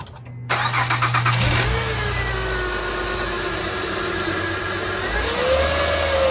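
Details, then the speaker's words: Honda Pilot (2003–2008 generation) alternator bearing whine. After a brief crank the engine catches and a steady whine rises in pitch with revs, traced by stethoscope to the alternator housing, which was then replaced. "e Honda Pilot and there's a whining sound, and it goes along with whenever you step on the gas, the engine speed increases, the whining increases as well."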